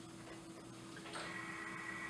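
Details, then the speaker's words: Anesthesia gas machine check, circuit occluded, APL valve open at minimum, oxygen flush: steady low hum with rushing gas hiss as the circuit bag fills and waste gas vents to scavenging; normal flush and scavenging. "You'll see your circuit bag fill, and you should hear the waste gas come off on the other side."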